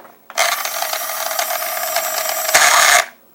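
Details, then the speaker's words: Child's small electric RC dune buggy/rally truck with reported transmission trouble, driving forward: high-pitched whir with a gritty, rasping grumble from the rear axle. Drivetrain grinding suspected in the rear gearing, not yet confirmed. "can hear there's a lot of grumbling going in there can it go forward drive here the rear axle making noise"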